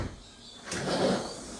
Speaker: So we can hear a scrape, and we've got to try and work out if it's coming from the top or the bottom.